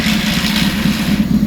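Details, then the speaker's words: Carbureted bike just after carb synchronizing, hot at running temperature, idling around 1100 rpm: restarted after killing the coils, it catches at once and settles into a smooth, steady, even idle with no misses or knocks; normal hot idle. "Bike is pretty hot, and you can see just how easy it is to start it now that it's hot."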